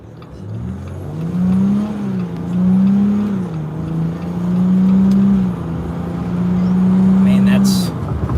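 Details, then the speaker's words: 2021 Jeep Gladiator EcoDiesel, stage 2, stock transmission tune, full-throttle run to 60 mph: diesel drone rises under load and drops at each clean gear change, pulling evenly; normal healthy acceleration. "to 60 right there nothing nothing super crazy but uh in a stock form that's moving compared to the old eco diesels"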